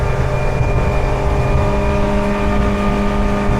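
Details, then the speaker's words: Mercury 60HP outboard, 170 hours, on 2018 Alumaweld Stryker 18, going from 21 mph to full throttle: strong, steady high-rev drone at constant pitch, no stumbling or rattles; running clean at wide-open throttle. "I'm going to go ahead and add throttle. There's 21. Here comes full throttle."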